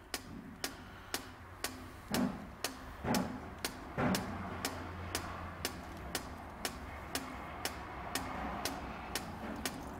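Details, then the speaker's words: 2006 Vauxhall Vivaro EGR valve driven by an activator tool's 90-second cleaning cycle: crisp, evenly spaced clicks about once a second as the valve snaps open and shut; good valve, green light. "so it's actuate in the EGR valve so I press and hold for three seconds now you can you can hear that so it's going to open and close it open and close it"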